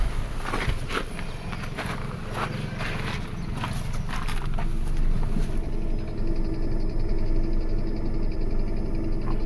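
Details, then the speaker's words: 2005 Toyota Caldina, P0191, power and ground verified good: uneven ticking about three a second over the low-side electric fuel pump hum, matching pressure waves; internal mechanical pump failure, needs new pump. "you can hear that there's a ticking noise and it seems to be corresponding with the waves that we are seeing on the pressure side of this pump so this pump has a mechanical problem inside"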